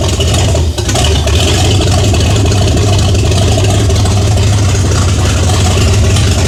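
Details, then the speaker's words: 1978 Chevy Nova V8, after sitting 21 years: very loud, deep, lumpy idle barking straight out of open exhaust manifolds, heavy low rumble, no muffling; owner questions whether the camshaft is stock; no knock or tick heard. "Okay, two things. Number one, open headers, really loud, should have known. I say headers, manifold, whatever."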